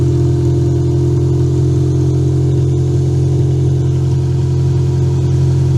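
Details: Toyota Camry demolition derby car running after a cut security-system wire was fixed, started with a booster pack; loud, steady low drone with an even beat and no misses or knocks, running really good.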